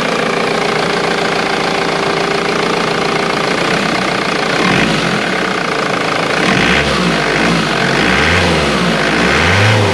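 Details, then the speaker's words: Ford VH Transit diesel van after its pump timing solenoid was replaced. It previously had heavy diesel knock, power loss and code P0149. Now it idles evenly and takes light throttle blips without rattle. "sounds normal excellent so i've just gone back from a test drive and it's fixed"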